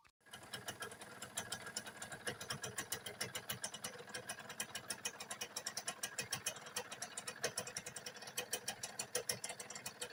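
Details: Honda Nova four-speed motorcycle engine at idle: a fast, even tick-knock, roughly eight a second, seemingly from the rear of the engine over a steady idle, typical of a worn or loose clutch assembly.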